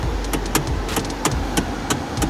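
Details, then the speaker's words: 2013 Hyundai Sonata GLS worn steering column rubber coupler, a recall item: sharp repeated clicks and clunks about three a second as the steering wheel is swung left to right, before repair. "now that sounds pretty bad but it's actually not if you'll notice it's this tiny little piece right this piece is what gets worn in there and causes this thing to"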